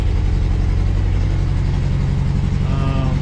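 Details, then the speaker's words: Toyota crawler just after an engine swap, new engine's first start with timing possibly still to be set and no radiator fitted: low, lumpy exhaust pulse with stumbles at fast idle, no smoke; owner suspects residual water in the fuel. "It's running. It's going on its own. Yeah. That is the wind right there. Sounds like there's maybe a little bit of water in the fuel, maybe."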